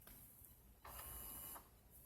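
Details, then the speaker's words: Chrysler Town and Country HVAC diagnosis with the fan off, key in accessory position: the driver blend door actuator gives a faint, smooth electric whir under a second and stops cleanly without clicking or grinding, working normally. "now remember the fan is not on but the blenders they're still wo"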